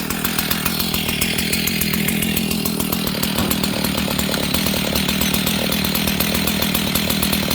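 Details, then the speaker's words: Husqvarna 61 chainsaw with idle lowered: rough low two-stroke idle with fast even firing and rubbing drag; chain still spinning as clutch drags on the drum; bad clutch needing replacement. "Okay, I'm lowering the idle. Okay, friends, you see that? This thing is barely running, and it's still spinning the chain."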